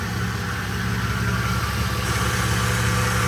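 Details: Ford/Lincoln 3.5 V6 idling after an in-car replacement of the timing-chain-driven water pump, with some smoke from spilled fluids: steady, even low idle with no knocks, ticks or misfires, a normal healthy idle.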